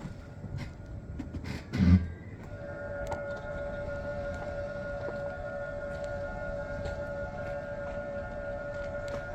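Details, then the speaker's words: Hybrid car driving in battery (EV) mode with the engine off: a steady synthetic pedestrian-warning tone over faint road noise, with no engine sound; the warning sound is working normally. "Dan ini kalau kita lagi jalan ya teman-teman ya. Misalnya kita jalan dalam mode baterai, nanti dia akan ada suara kayak gini nih."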